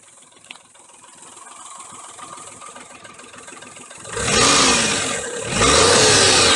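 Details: 2001 Daihatsu Terios Kid (J131G), 98,984 km: quiet idle, then two revs with a rough knocking underneath that follows engine speed, not from the engine itself; cause was a loose alternator on a broken mounting bolt, replaced with an updated part.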